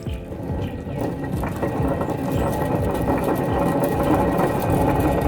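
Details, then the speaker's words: 2004 Lexus LX470 driver-side front hub, flange removed, spun by hand: rough, gritty growl with whistling and howling on top and visible play in the hub: worn wheel bearing growl. "you hear how it's growling first of all it's growling right and then plus the growling there's also the whistling and like howling noise"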